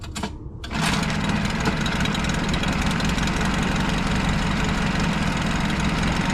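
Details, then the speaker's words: Honda outboard after oil changes in the engine and lower unit, with a bracket holding a Yamaha fuel connector. It catches after a brief crank and fires right up into a steady, even idle with no misses, pumping good water. "up feel like the camera doesn't do it justice but it's actually pumping good water"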